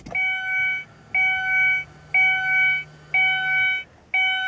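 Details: 2001 Ford Escape bought as a parts car, rumored to have jumped timing, with a new battery fitted: an even electronic chime repeats about once a second, five beeps with short gaps, while the theft light flashes; the anti-theft alarm is going off.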